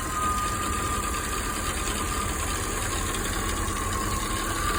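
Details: Chevy 305 small-block V8 in a GMC: a fast, even metallic valvetrain rattle over a steady idle at low rpm. The owner suspects a bent pushrod or bad lifter; not confirmed.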